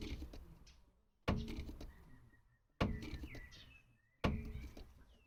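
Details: 2012 Peugeot 308: three sharp, hollow thunks about one and a half seconds apart, each fading quickly as the body rises; a suspension knock on rebound.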